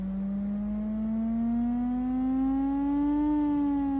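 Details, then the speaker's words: Phone speaker playing a water-eject app tone, face down, after the phone got wet and its sound became distorted. A loud, pure tone slides slowly upward then eases back, and water is pushed out of the speaker. "คนเห็นไหมครับว่ามีน้ำออกมาแล้วอีกครับอันนี้คือสาเหตุที่ทางตัวแอปเขาให้เราคว่ำหน้าลำโพงลงนะครับ"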